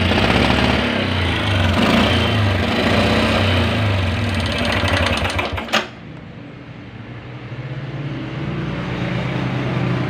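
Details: Honda Grand motorcycle, smoking badly and suspected low or out of oil: harsh, clattering run with a fast knock about three times a second before it cuts out; oil starvation with worn piston rings and a loose connecting rod.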